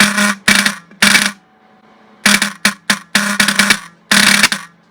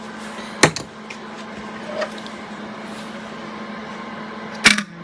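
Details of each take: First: Rusty vintage VW bus horn, wire-wheeled and bench-tested in a vise: short bursts of a low, raspy, weak buzz with a rattly edge; something vibrating inside, possibly a backing-out screw, suspected, not confirmed. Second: Old rusty car horn for a vintage VW bus build, cleaned and reassembled with a backing-out screw tightened: run of short bright buzzing beeps about one a second, clear and even; horn now works properly.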